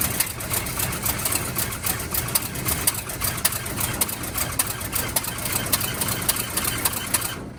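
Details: 1971 Cadillac Coupe DeVille that sat 15 years in a backyard, first start on starter fluid with fresh 91-octane fuel (white sediment in tank): uneven ticking idle around 105 beats a minute, stumbling then dying; owner suspects it's not getting fuel.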